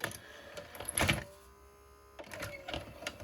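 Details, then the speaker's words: Dumpster-found 1980s National Panasonic NV-430 VHS deck, first power-on after years in an attic, Sony E180 tape inserted: clicks, then a brief motor hum that stops abruptly; tape fails to load, mechanism not completing. "Okay. Interesting. Doesn't load. Beautiful. I think we're... I may have wasted a lot of time cleaning it, because troubleshooting this mechanical nightmare is, well, as the name implies, a nightmare."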